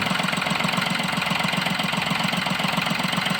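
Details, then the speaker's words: Diesel with an intermittent no-start and stalling while driving (codes P0087, P0251): even idle at two to three pulses a second as switch voltage drops from 4.12 to 3.85 V; root cause was a clogged fuel filter starving fuel. "Voltage ഇത്രയും drop root cause എന്ന് പറയുന്നത് വെറും ഈ ഒരു filter ആണ്"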